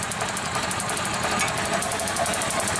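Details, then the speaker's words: 2004 EZ-GO golf cart, quit after a deep puddle, weak spark from an ignition power feed dropping out; cranking with a fused bypass lead powering the coil's red wire: fast chattering, engine catching weakly but not running. "okay so now i'm going to crank it and provide power to that red wire through this bypass lead look it's trying to start"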